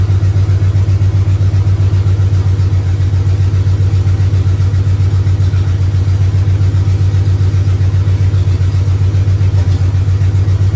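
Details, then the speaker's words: Freshly swapped 400 big block in a body-swapped 1971 Dodge Power Wagon Adventurer with rebuilt Carter Thermoquad, open headers, idling after timing set: deep, even lumpy idle, steady low exhaust pulses, no knocks or misses; healthy, well-timed engine. "didn't like that well it's idling now I like that timing"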